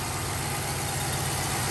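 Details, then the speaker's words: 2013 Chevrolet Caprice PPV with 6.0 L V8, revived: smooth, even idle with a steady low rumble and no ticks, knocks or rattles. No odd exhaust smell; the engine sounds healthy. "weird noises or bumps or knocks ladies and gentlemen that car is running it's idling"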